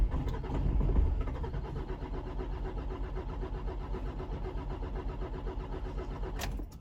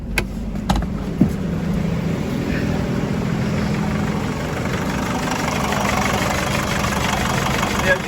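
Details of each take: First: 2007 Nissan X-Trail diesel with a hard-starting complaint: starter churns about three times a second for roughly six seconds without catching; suspected slightly out-of-time timing chain, before repair. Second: 2007 Nissan X-Trail diesel after timing chain replacement for hard starting, EGR valve refitted, no fault codes: a few clicks, then a quick, speedy start settling into a steady, even idle with no rattle; normal idle.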